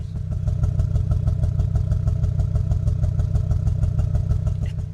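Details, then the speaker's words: Audi RS3 five-cylinder with a roughly 4000 rpm soft limiter, exhaust possibly not stock: a deep, steady, lumpy exhaust beat of about three pulses a second that sounds like a mild misfire but is normal for this engine. "It sounds like it's misfiring low-key, but that's just how the Audi RS3 sounds like. Like the middle between V8 and like Subaru boxer engine."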